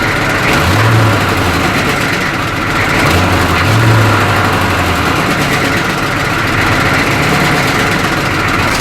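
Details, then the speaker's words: 1985 M1028 CUCV (diesel K30), GM 6.2L diesel, stock 2¼-inch dual exhaust before replacement: loose tinny rattle over steady low idle from loose brackets, crooked low-hanging pipe, possibly holes. "oh that sounds terrible we got loose brackets listen to that that sounds terrible and it looks terrible all crooked and so low i don't know terrible i don't like it listen to that rattle"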